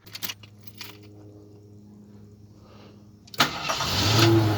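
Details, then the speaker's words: 1975 AMC Matador Brougham station wagon, 304 V8, just refuelled; quiet handling, then the starter catches and the engine fires straight into a steady rumbling idle; normal, clean start. "Hear that 304 in all its crap glory. Nah, it sounds all right, but it's nothing to write home about. And I just put gas in this thing too, so it should start right up."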